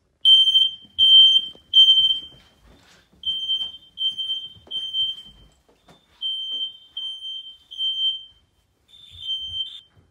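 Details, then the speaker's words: Old smoke alarms in new house (Fire-X units, plus working Kidde downstairs) in alarm after smoke test: thin, uneven high chirps about once per second; sounders barely sound, units to be replaced; weak smoke alarm sounder. "I don't know if you can hear that, but they're trying to make noise. They just don't."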